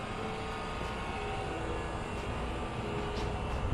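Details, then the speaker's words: Fire sprinkler pump running during a pump test, loud, with a steady drone and a constant mid-pitched whine on top; a spot is warm to the touch and the sound is concerning. Abnormal pump noise, cause not yet found. "yep listen to it all right there you go that's a little concerning isn't it"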